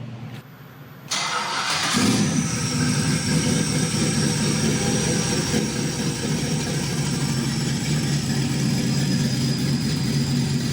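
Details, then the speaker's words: GM 5.3L LS V8 with NSRx Stage 3 no-springs-required cam and 600-lift valve springs: starter crank, quick catch, then choppy loping big-cam idle, no ticks or knocks; great oil pressure, normal cammed idle, engine ready. "Thing has great oil pressure, motor sounds good. So I think this one's ready to go."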